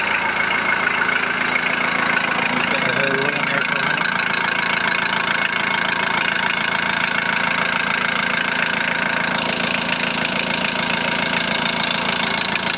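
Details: VW Transporter T4 1.9 TD after replacing worn cam followers, air box and timing belt cover refitted: even, steady diesel clatter at idle, ticking about three times a second, no rattle standing out; healthy, rattle cured.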